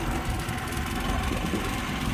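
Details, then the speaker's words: New Powerhorse inverter generator with throttle switch on, some vibration from adapters on top: steady, even low drone without knocks or surging, fairly quiet; normal running. "listen to that thing it's nothing super quiet i'm sure uh it gets louder with more use but man that thing is nothing if the air conditioner's running you wouldn't even hear this"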